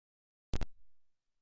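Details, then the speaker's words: Nintendo Switch headphone output into a GoXLR mixer line input through a cheap ground loop isolator: a silent line broken only by a double connector pop, the horrendous hiss and hum completely gone. "it's gone that background noise has completely gone so we still have sound of course coming in from our switch here you can hear that but that background hitting noise which was absolutely horrendous has been completely eliminated at least to my ears i cannot hear it at all"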